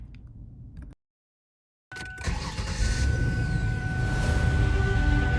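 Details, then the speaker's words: Ford Taurus started after three years sitting, spark plug wires reordered (PCV elbow found broken): cranks, catches and settles into an even, steady idle with no obvious misfire. "sounds much better. With no obvious misfire and a pretty smooth idle, I think it's safe to take it on a test drive."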